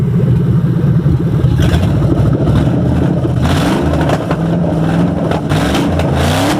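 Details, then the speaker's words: Ford Crown Victoria running an ECU fuel map not matched to it: low, uneven, shaky idle and sluggish revving, dumping extra fuel and weak spark, dies without throttle. "listen to it has a little shake to it because it's not the right map and right now it's dumping more fuel in there it ain't sparking and it'll shut off so if I don't rev it will turn off"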